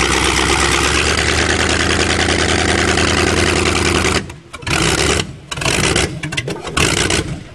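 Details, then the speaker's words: Chevrolet with water in the engine for 7 months, almost seized, cold and on choke, blowing black smoke: a lumpy, chuggy idle with uneven firing that stumbles and nearly dies. Rich cold idle on choke. "haha we always need a little bit of chuggy choke on so it's fireing black"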